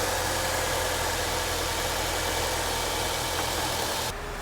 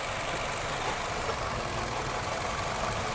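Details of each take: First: 2006 Nissan Altima after a misfiring bad coil pack was replaced: steady, even idle with a smooth drone and no stumble or skipped beats, firing cleanly on all cylinders. Normal idle. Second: 2006 Nissan Altima misfire diagnosis at idle: loud, uneven idle with a stumbling beat from a dead cylinder; the test light shows no spark on that cylinder, and swapping coil packs confirms a bad coil pack.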